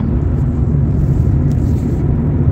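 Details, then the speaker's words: Lada Kalina Cross / Granta with robotized (AMT) gearbox, manual mode, accelerating in fourth: steady low engine drone, no whine or grinding from the gearbox; normal gearbox operation, hum comes from the engine. "Если вот слышите гул какой-то, да, гул, то это двигатель гудит, это не коробка."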